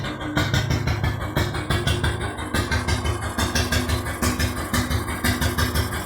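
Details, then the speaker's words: Lister G1 single-cylinder engine just started off the handle after a backfire: slow uneven thump just over a beat per second; owner suspects lean running, carburettor jetting and timing unverified. "Well, as you can hear, she did half sound nice. It's a good old thumper. I've got no idea exactly as to whether the carburetor is jetted right for the engine. It does sound like it's running a little lean, actually."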